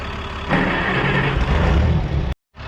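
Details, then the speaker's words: 1960–63 International Cub Lo-Boy tractor sitting 10+ years: rough, low rumble catches under two seconds on starting fluid, then dies abruptly. Compression is good; fuel supply suspected, with new plugs and a drained, refilled tank planned. "You saw it has compression, it runs off the starting fluid, so we know that's good"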